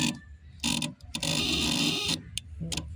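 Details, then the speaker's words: Mahindra Jeeto mini with a no-start, temperature gauge showing high/low and no warning lights: bursts of rapid relay clicking on key-on from the rear fuse box behind the seat holding ECM and fuel pump relays; loose fuse contact found there. "ఇక్కడ ఉంటాయి ఇన్నీ ECM ఫీజులు అన్నీ దీనికి ECM relay fuel pump relay ఇవన్నీ కూడా ఇక్కడే ఉంటాయి అన్నమాట సౌండ్ వస్తుంది కదా"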